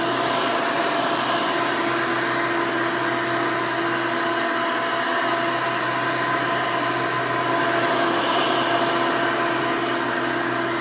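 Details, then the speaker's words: 1992 Hoover Elite II Total System Performance 650 U4689-910 upright vacuum, motor needing no work since purchase: a steady, even whir with no rattles, scraping or pitch wobble; normal running. "runs very nice and smooth definitely sounds good i didn't have to do anything to the motor when i bought it so that's one nice plus"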